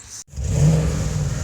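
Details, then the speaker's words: BMW M62TU V8 after timing chain guide replacement, dual exhaust fitted; deep smooth rumble holding steady after a brief blip, no chain rattle or slap; normal running. "So there it is running. If you're wondering why that sounds nice, it's a nice sounding BMW."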